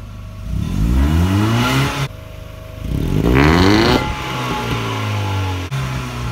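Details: 25-year-old Mercedes-Benz W202: two quick throttle blips, revs climb cleanly and fall back to a smooth steady idle; healthy petrol engine with no knocks.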